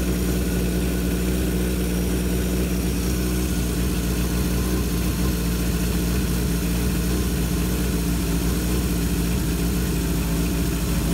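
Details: 1978 Kawasaki KZ650 C four-cylinder, revived after at least 5 years unrun, warm, during carb vacuum balancing: ticking over at a raised 2000 rpm idle with deep, even hum, no stumbles; normal idle, carbs balanced within about a quarter inch.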